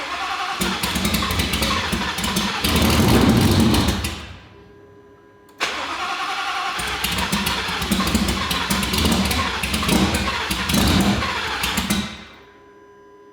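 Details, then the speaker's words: 2019 Roush Stage 3 Mustang, first start after a blown engine and valve covers checked: cranks, catches roughly, stumbles and dies twice, needing throttle to run. Camshaft position sensor circuit codes present. Hard start, stalls without throttle. "all right guys so we got the car started i you have no idea it's not quite running on its own i was having to give it a little bit of throttle to keep it running"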